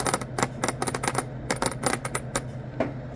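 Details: Honda Acty truck that shuddered and lost power near 40-45 km/h: fuel solenoid tested by touching power, crisp irregular clicks as the plunger snaps in and out; solenoid working properly.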